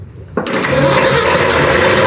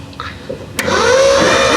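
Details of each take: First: 1972 Ford F100 4x4 with 390 V8, parked 15-plus years, first start: sudden roar after silence, runs ragged and uneven for a few seconds only on fuel poured into the carburettor; stumbling start. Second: 1972 Ford F100 4x4 with a 390 V8, parked 15+ years, cranked by jumping the starter with plugs removed: a thump, then a fast, even starter whir with no binding, building compression and blowing debris out of the plug holes.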